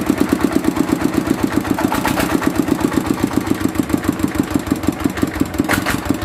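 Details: Mitsubishi single-cylinder diesel idling after repair of fuel leaking into the oil sump and white smoke (pump plunger, valve and seal replaced): steady thump, about five or six beats a second, no misses; healthy idle.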